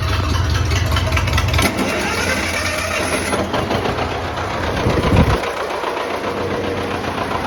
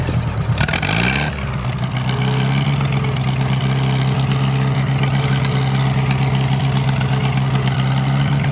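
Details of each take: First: Old tractor started after sitting over a year, governor possibly sticky and timing thought off: uneven chugging that sags and picks up under throttle without pulling strong; lacks power, cause not confirmed. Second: Minneapolis-Moline model BF tractor that had been sitting over a year, choke on, catches after a brief crank and settles into a steady, even low idle with no knocks or misses; runs real nice.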